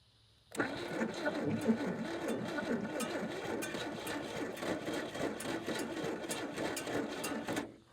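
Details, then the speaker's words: 1950s Chevy with 235 straight six, parked since 1989, with starting fluid and a stuck throttle: long steady starter cranking about four turns a second with no catch; cranks but won't start. "It's trying. Maybe it wants a little regular gasoline down in with it. It's grumpy. It's so close."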